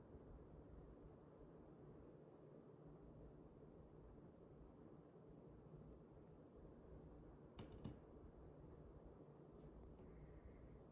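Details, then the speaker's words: c.2025 Fanimation TorchAire 52 DC-motor ceiling fan on speed four (high), slight wobble noted: quiet steady rush of air with no ticking, humming or rubbing; running smoothly. "Go ahead and move it up to speed four. This thing absolutely flies on high, so I'm excited for that. Notice a slight bit of wobble."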